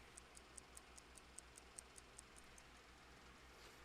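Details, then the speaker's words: Mechanical clock after first servicing, freshly wound: crisp, even ticks about two and a half per second in a quiet room; movement running steadily. "I'm going to wind it up again for the last time tonight you can actually hear it ticking oh my God"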